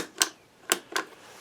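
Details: Shop vac that will not turn on, plugged in: three crisp switch clicks in a quiet room but no motor spin-up at all; switch clicking so not suspected, motor thermal fuse found blown.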